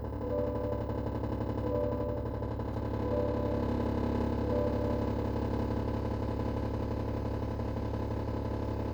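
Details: 2022 GMC Yukon SLT Duramax diesel at idle: a fast, uneven buzzing rattle from behind the glove box over the low engine clatter; it happens occasionally while driving or idling and quiets when revved.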